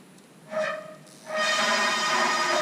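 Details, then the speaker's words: Haas VF-3 retrofit with Chinese servo drives: servo gain parameter set too high, so the motor holds position too tightly on encoder feedback. This makes a loud steady reedy buzz that shakes the ball screw and machine frame, especially when the axis stops. "That is the motor trying to hold so tight the position that will create vibrations on the whole uh ball screw, frame of the machine, all of that will vibrate with that motor holding trying to hold that position in with the encoder feedback"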